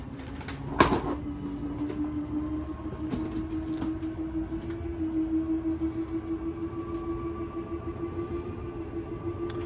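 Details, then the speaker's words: Zinger 290KB travel trailer slide-out: switch click, then a steady electric motor drone rising slightly in pitch as the slide room moves; a little grinding when fully out is normal and signals to release the button. "It'll make a little grinding sound when it's all the way out. That's how you know to let go of your button."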